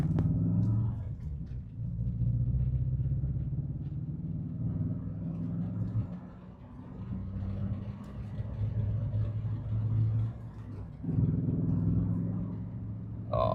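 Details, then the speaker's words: Renault Clio 172 Cup, warmed up, misfiring on three cylinders on the way to a track day: lumpy, uneven rumble that stumbles and surges with throttle, clears but not fully right. Plugs, leads, coil pack, fuel rail and injectors were checked. "It started as as you can hear. It does clear, but oh, it's it's just it's just not 100% right."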